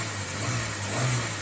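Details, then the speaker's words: Ford Bantam Rocam after spark plug replacement: steady, even smooth idle with a couple of revs, no misfires; faint noise from worn power steering pump bearings also present. "Couple of revs. Yeah, everything sounds good."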